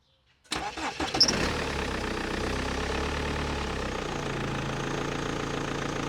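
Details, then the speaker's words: 2005 BMW 1 Series E87, M47 diesel, 400,000 km, mic in engine bay, cold start: brief crank then steady even idle, no timing chain rattle; possible squeak from alternator belt or pulley, owner plans replacement. "It's not that bad. No rattling from chains. A good sign."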